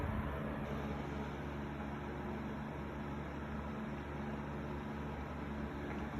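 Even, steady hum and airflow rush on high speed with no rattles or scraping, wind in the background; fan is running fine.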